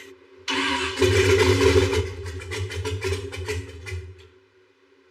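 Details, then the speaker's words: DeLorean fitted with a scrap LS engine, during tuning: the engine catches and runs unevenly for about three seconds, then sags and dies instead of settling to idle. Earlier it idled very high with the throttles closed; a vacuum leak is suspected. "Try it again. How could it go from idling so high to now idling at all to wanting"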